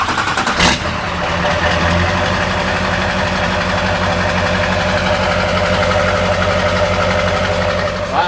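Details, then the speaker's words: Duramax diesel truck with Allison transmission, bought cheap and rough, head gasket work considered: short crank, catches right away, settles into a steady, even, quiet idle with soft clatter; healthy diesel. "nice and quiet. Worth $1,000 all day long."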